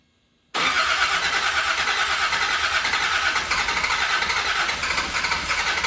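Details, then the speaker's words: Land Rover Defender 90 Td5 diesel, first run after top-end rebuild, lots of smoke, not revved to protect turbo bearings: catches at once, steady busy clatter at idle without knocks or stumbling; sounds really good. "Success! Oh, we have a lot of smoke. You know what? It sounds really good."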